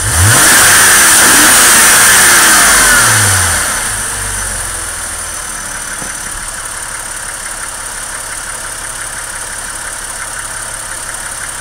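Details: 2001 Porsche Boxster 2.7 petrol engine revving then falling to idle, a thin high whine and light rapid ticking over it; strange noise, cause unknown.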